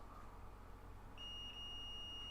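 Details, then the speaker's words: iPhone X that would not charge or power on, previously worked on: continuity tester tone comes on and holds steady across a small capacitor on the motherboard, confirming it is shorted and the cause of no power. "but we'll test this and confirm right now that this is in fact a shorted capacitor and there he is"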